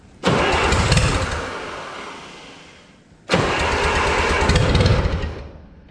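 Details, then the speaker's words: 1955 Oliver OC3 Cletrac crawler tractor, sat 20+ years, fitted with a Farmall M IH distributor and temporary coil: two three-second cranking bursts, starter churning and fading without catching; owner suspects stuck carburetor float/needle. "well it seemed to like that minus the face full of rust that I got so I'm thinking the flute is probably stuck on the carb"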